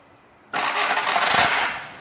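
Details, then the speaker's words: VW Golf starter motor missing its front bearing bushing (nose), so the off-centre bendix pinion fails to mesh with the flywheel ring gear: harsh metallic grinding on cranking that fades without the engine starting; car only starts by push-start. "Então o que acontece? Essa parte aqui que se chama bentes, ela engrena no motor e ela fica fora de centro. Então a hora que você dá a partida que ela engrena para frente, ele não encaixa na gremalheira, porque tá sem a bucha. É onde faz aquele barulho."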